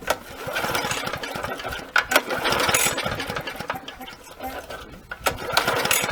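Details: Briggs & Stratton mower, long stored in a shed, with oil-wet spark plug smelling of petrol: repeated rope pulls give short, uneven chuffs that die away; the engine turns over but won't fire, later running only on sprayed-in fuel.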